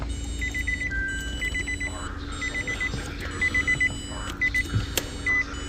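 Bursts of four or five sharp high beeps repeat about once a second over low cabin hum; the add-on module is alarming and blocking the start. Cause suspected, not confirmed.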